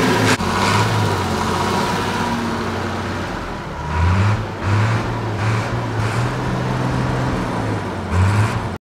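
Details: TK Bedford crane truck, Perkins 6354 six-cylinder diesel not run for 20+ years, after bleeding air from the fuel system: deep, steady idle with low, even thrum, no knocks or misses; running smoothly.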